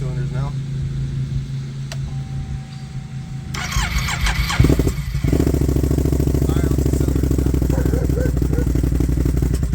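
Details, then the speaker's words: After installing a new idle air control (idle bypass) valve and new spark plugs, with the fuel pump already replaced, the engine cranks and catches at about five seconds and settles into a steady, even idle firing on both cylinders; previously it fired weakly on one cylinder. "and as you guys can tell it is firing all two cylinders now"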